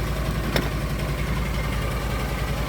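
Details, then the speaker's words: Argo ATV after winter-storage no-start repairs (upgraded carburetor), running with no jumper wires after the fuses were replaced: steady, smooth low idle rumble with no knocks or misses. Normal idle. "that and it is running. No jumper wires, no dinking around."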